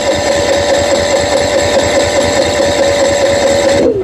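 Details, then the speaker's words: Brand-new Honda EU7000 generator, just after battery reconnected and digital display working again: starter churns with an even pulse about four beats a second, never catches, winds down; cranks but won't start; owner suspects the oil needs changing (10W30). "No go. For countless times I tried and tried and tried, and this is what happened."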